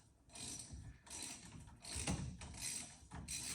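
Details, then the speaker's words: 1963 Mercury Meteor after drum-to-disc brake conversion: hand-spun rotor gives a scraping swish about every 0.7 seconds, once per turn; rotor runout judged out of tolerance, to be corrected with a shim behind it. "oh still sounds bad it takes yet but it still sounds bad rotor don't sound straight"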